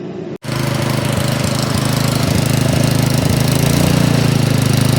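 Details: Troy-Bilt snowblower engine at first start after a carburetor clean for a no-start likely caused by old summer gas: it catches right away and settles into a steady, even chug that builds slightly; normal running.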